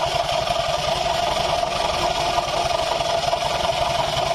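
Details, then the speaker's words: 2020 Honda Vario 150 scooter idling, CVT noise, aftermarket exhaust muffled by hand: steady squeaky "srok srok" hiss over low uneven "guk guk" rumble; hardened, cracked drive belt plus worn secondary pulley bearing. "suara yang Srok Srok Srok Srok itu dari pibel udah mengeras nih Sisi bagian luar dan Sisi bagian dalam ini sudah mengeras"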